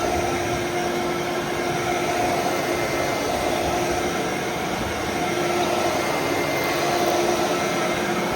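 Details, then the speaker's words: Other vacuum (Phantom Thunder) on carpet, medium setting, for comparison: steady motor whir with a fine beater-bar rattle and audible bounces, no pitch drop; brush roll agitating normally. "Yep. You can hear those bounces."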